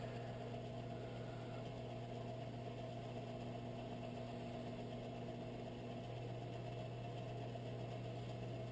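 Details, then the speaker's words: Whitfield pellet stove auger gearmotor after cleaning and lubing sticking bushings, during a test: low even hum, no dragging or surging; now spinning at full speed. "so the motor is spinning at full speed"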